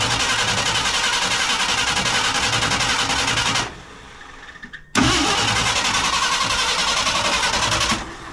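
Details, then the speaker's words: 1968 Ford F100 Ranger, abandoned for years, with points adjusted and a stink bug found in the carburetor. Steady cranking, a pause, then more cranking that won't fire. Fuel pump operation is in doubt, so the plan is to fill the carburetor bowl by hand. "I'm gonna take the top of the carburetor off and fill up the bowl. I don't know if the pump's working or what."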